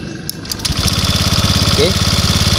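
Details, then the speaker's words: Honda Vario 150/125 scooter after the faulty starter switch was replaced, likely dirty inside or worn out; starter whirs briefly, then the engine catches and settles into a steady, even idle with no misfires. Starts cleanly and runs normally. "Oke, jadi ini motornya udah menyala, udah normal."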